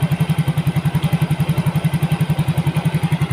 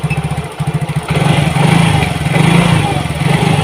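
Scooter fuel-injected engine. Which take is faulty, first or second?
second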